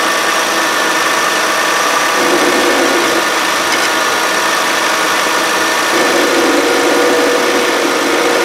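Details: 2013 Kia Sorento AWD 3.5 L V6, just under 80,000 miles, engine running, screwdriver held on the idler pulley bolt: rough, steady groan with a wavering mid-pitch hum; worn idler pulley bearing.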